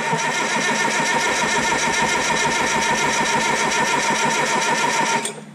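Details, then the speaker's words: 1968 Detroit (GM) 3-53T diesel, first start after total overhaul, cold start at 4.5°C engine temperature, outside -3°C: fires straight away into a quick, even chatter, no misfires or knocks, then shuts off cleanly; healthy start. "s is a cold start and a fresh start after a total rebuild of this 1968 detroit or general motors diesel"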